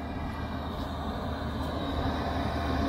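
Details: Portable diesel heater after cleaning (soot suspected, clogged atomizer screen likely the cause), drawing 0.5–0.6 A: steady low exhaust roar with no surging, popping or misfire; normal steady running.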